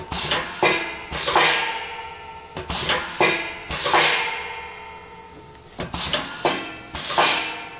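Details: PhilaPack SCF cup filler, fruit dispenser cycling on manual page with fruit time set to 1 second (from 1.5); sharp metallic clacks with short hisses in uneven bursts, clean actuation, no grinding or rattle; normal.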